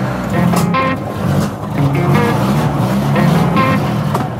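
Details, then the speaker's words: Car with fuel about a year old, starting very poorly, tested while driving: engine stumbles with uneven pops and bangs as it pulls away, idles acceptably but won't drive; misfire and backfiring under load, cause not confirmed. "стреляет, я надеюсь, вы слышите. Это какой-то тихий ужас, блин."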